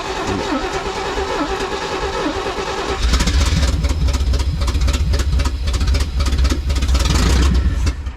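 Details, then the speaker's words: 1980s Chevy square body truck V8 running on fuel poured and sprayed in by hand. It catches and runs loud and lumpy through open headers, unsteady but holding together; a later backfire set it on fire. "She's a uni. This thing sounds good too. That's not bad."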